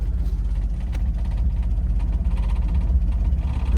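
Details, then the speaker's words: Datsun 280ZX after replacing parts to fix a no-start, first start before driving: uneven, lumpy, hesitating idle with irregular low thumps about four a second; engine stumbling and barely running, cause unconfirmed. "I'm not going to lie this thing sounds like sh it's like barely alive right"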